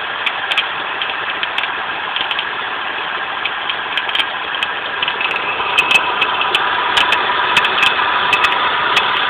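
Steady idle with an irregular light ticking and a faint chirp on top, typical of a worn belt idler pulley bearing.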